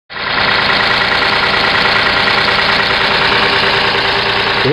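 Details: Petrol engine idling with a busy, fast ticking lifter clatter; lifters quieted down a little after an engine flush added to the oil, but still need attention.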